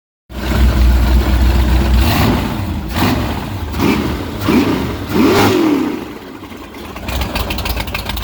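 Several sharp throttle blips, then the idle comes back lumpy and uneven instead of settling smooth; a rough idle after revving.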